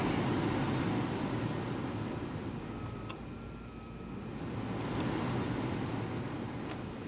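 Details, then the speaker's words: Steady, even rush of air at maximum fan speed in auto on a 2007 Mercedes ML350 after a blower motor repair, with no squeal, rattle or wobble; the blower now works properly. "and then you click your fan speed up measure from here this works properly so that's the maximum and that's it"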